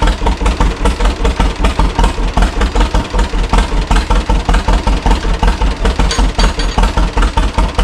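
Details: 1936 John Deere Model A two-cylinder, first start after sitting three years, choke on. It has new plugs and cap and sanded points; the carburetor is not rebuilt and the owner suspects a sticking float. A slow, heavy putt at about 2.5 beats a second pulses unevenly: rough idle needing adjustment.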